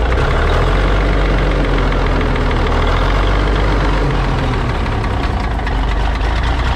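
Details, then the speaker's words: Old cabover semi truck diesel, sitting for years, just had 20-year-old oil changed, fuel filter primed with clean diesel, in neutral; deep steady idle rumble, no misses or clatter, started up really smooth. Normal diesel idle. "started up really smooth well I guess me priming our fuel filter up help"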